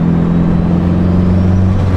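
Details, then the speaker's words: Honda S2000 AP2 with a newly turbocharged engine on a drive while fluid temps are watched. A steady drone with a rising whistle as the turbo spools up and down and flutters slightly. Spool is normal. "It's hard to ignore that turbo because it is just making such good noises all the time. It sounds so sick, dude. Ah, it's fluttering, dude."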